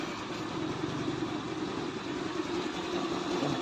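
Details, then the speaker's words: Easy Ride 150N motorcycle single-cylinder after regapping the spark plug to cure hard starting, battery ruled out by jumper: one-click start, even uninterrupted idle with no misses, stumbles or stalling; normal idle. "Subukan kong mag-jumper ng battery. Meron pa rin. So ibig sabihin hindi problema ang battery. Tuloy-tuloy ng andar."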